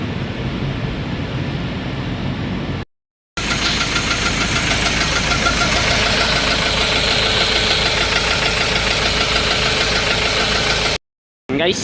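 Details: Ford Ranger with white smoke, engine running with a sharp, fairly regular metallic knock, roughly three a second, above the idle; source not yet pinned down.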